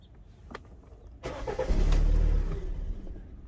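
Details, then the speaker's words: 2011 Kia Sportage 2.4 4x4 with many stored codes, including injector connector and airflow sensor faults: starter cranks briefly, engine catches with a low rumble, then fades and dies within about two seconds; it won't stay running. "se apaga no se queda ya encendido otra vez"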